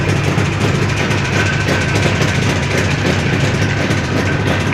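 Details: Jawa 638 two-stroke under build, tired cylinder-piston group, revving: rough clattering rattle with dull knock; crankshaft knock and chain rattle.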